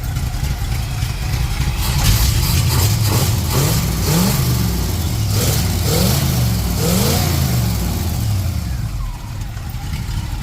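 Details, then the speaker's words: 1930 Ford Model A street rod with a 283 small-block Chevy and Borg T10, parked since 1973: V8 rises and falls through several clean blips without stumble or knock; engine in good shape with good but bouncy oil pressure. "Yeah, this motor is in good shape. Good oil [Music] pressure, bouncy, but none of these other gauges work."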